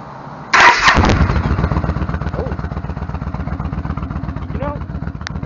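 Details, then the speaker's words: Motorcycle after installing new header gaskets, having run about 11,000 miles with loose, leaking header bolts that caused popping: starter whirs, engine catches and settles into a steady, lumpy idle, about four pulses a second, no popping; sounds slightly quieter. "think it sort of sounds a little different it even sounds like the engines a little bit quieter"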